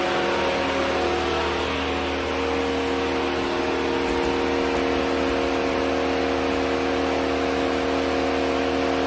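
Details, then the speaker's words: 2007 Mercedes-Benz 350 electric radiator cooling fan switching on and off for no reason, sometimes not shutting off: loud steady whoosh at one pitch, fan running flat out; suspected faulty engine control module or CAN bus communication, unconfirmed. "today I got a 2007 III 50 you can hear the cooling fan coming on away might be able to hear it just comes on and off for no reason just whiz it real loud and shuts off sometimes doesn't shut off at all"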